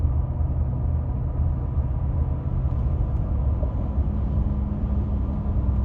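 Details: 2016 Ford F-150 5.0 6-speed 4WD: steady low hum over road rumble starting at 60 mph under throttle, stopping at 55 mph coasting; occurs randomly, source unknown.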